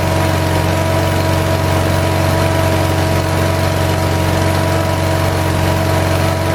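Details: 1978 Lincoln Lincwelder 225 welder-generator, cold start after a governor adjustment, carburetor still not fully adjusted: steady mid-pitched drone with slight uneven pulse, about four beats a second; runs fine, a touch lumpy cold.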